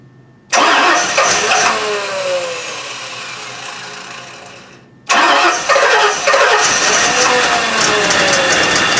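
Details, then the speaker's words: 1984 Rolls Royce Corniche V8, initial startup after engine rebuild, warm-up regulator unplugged: two starts, uneven stumbling beat and raspy hiss; misfire plus exhaust leak at manifold-to-downpipe connection, found after about 20 minutes running. "Alright, so I ran it for about 20 minutes. It's got an exhaust leak right at that fitting over here, the connection between the exhaust manifold and the downpipe."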